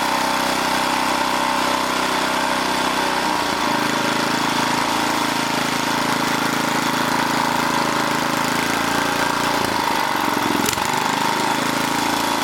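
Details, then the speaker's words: 1980 rototiller small single-cylinder engine: speed sags and recovers on its own; throttle control cable creeping despite tightening, needs a new throttle control. "so oh i don't want 3600 we want now we got it but this thing is creeping so i need to put a new throttle control on here"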